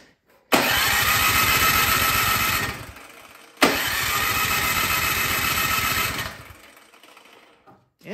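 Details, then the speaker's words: Troy-Bilt Storm 2665 snowblower that sat all summer with gas in it, choke on, primed, throttle on. Two electric-start cranking bursts, each a steady chug of a couple of seconds, but no catch even with starting fluid in the cylinder. Carburetor suspected clogged by bad gas. "it doesn't even want to fire that way"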